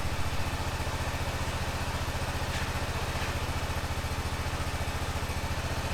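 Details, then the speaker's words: 2005 Honda TRX650 Rincon, 650cc single-cylinder four-stroke, on choke in neutral after a no-run condition: steady, even thump about three to four beats a second, no misses or stumbles; clean, healthy warm-up idle. "everything looks normal in neutral oh sounds pretty good huh need to let it warm"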